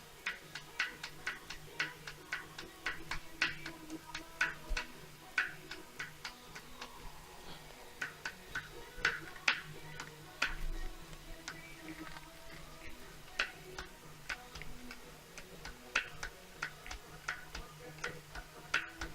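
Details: Smart Roadster engine, cold: sharp hollow clatter, two to three knocks a second over low hum, piston slap from worn piston-to-cylinder clearance, improving as the engine warms.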